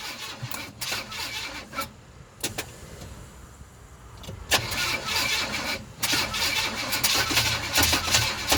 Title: Crank no start 350 gmc